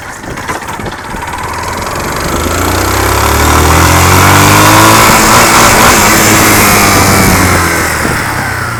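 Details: Yamaha Fazer 250, 2005/06, over 115,000 km, new noise this week; revs rise and fall with a hard loud knock following rpm; confirmed worn connecting rod, replaced with a TXK rod; connecting rod knock.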